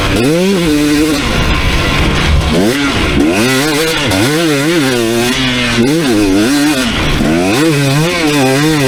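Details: 2019 KTM 250SX two-stroke, Lectron Billetron 38 Pro carb, on track after torque jet richened half a turn: revving through gears with no pinging or detonation, slightly burbly rich edge in places; owner then turns it a quarter turn back in.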